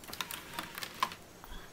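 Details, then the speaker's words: Rebuilt 3.0L engine for a 2004 Mazda 6, out of the car, turned slowly by hand with a breaker bar while priming oil, no oil reaching the camshafts: sharp light clicks about every 0.4 s from the cam chain area, possibly from dryness; cause unclear. "now I'm going to turn this with a break over bar right there there's also a noise in the cam cam train cam chained about Train"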